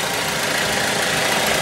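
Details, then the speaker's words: Mazda engine idling right after an oil and filter change, following a brief diesel-like oil pump purge noise at startup; even, steady idle with a soft smooth hiss and no knocking or misses, running fine. "Listen to that thing purr."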